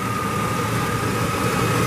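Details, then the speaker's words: 1998 Chevy Silverado Vortec V8 after a flashing check-engine misfire, codes reset and left overnight: steady, even idle with a smooth low rumble and a faint constant high tone, no stumble or miss; normal idle. "we reset the codes let it sit overnight this is what we've got now that engine no misfire anymore it's just sit there run smooth sounds great"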